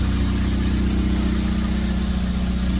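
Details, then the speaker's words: Jeep Patriot at idle: loud raspy pulsing exhaust rumble from leak at the catalytic converter joint; converter to be replaced. "problem is the uh exhaust is leaking making a lot of noise so we're going to replace the car converter that's where it leak is"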